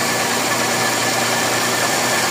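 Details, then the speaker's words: Toyota Vios Gen 4 with A/C engaged: steady coarse grinding whir from a rough worn compressor bearing; quiet when compressor disengaged. "Maingay talaga compressor. Ayan oh. Naka-disengage ang compressor niyan. Tahimik. Pero pag umandar ang compressor, tingnan mo doun yung gaspang nung loob ng compressor e."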